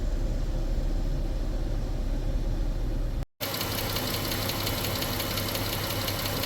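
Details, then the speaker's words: 2015 Jeep Grand Cherokee 3.6 L, 63,600 miles, hot idle: faint uneven light tapping under the hood over the engine hum; cause not yet known. "also I hear something tapping under the hood which that's not good when it's a 36 but might not be that bad I don't know yet"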